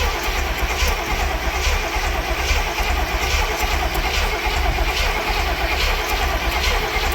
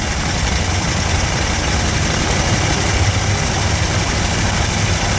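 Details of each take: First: Barn-find Cadillac 7-liter V8, cold, first start attempt after 30+ years: steady uneven cranking about seventy per minute with no firing and a bad smell; crank no start, suspected no spark. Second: We finally get to hear that 7 liter fire up after 30+ years.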